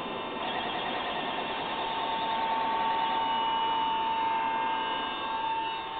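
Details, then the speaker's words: Collins airborne HF communications transmitter on 28 V and 140 V, no high voltage: busy whirring of small gears with steady high whine as motor-driven tuning changes frequency. "As you can see, the if we change the frequency, you can hear those cogs going."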